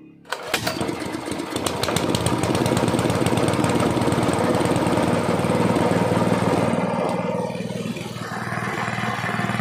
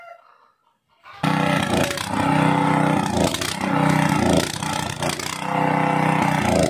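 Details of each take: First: Gasoline water pump engine that misfired after long disuse, now with carburetor, spark plug, air filter and magneto cleaned: it starts on the first pull and settles into a steady, even run without misses; normal running. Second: Gasoline water pump engine left unused a long time, before repair: it catches, then misfires, surging and sagging as if starved of fuel until it stalls; the carburetor was found very dirty.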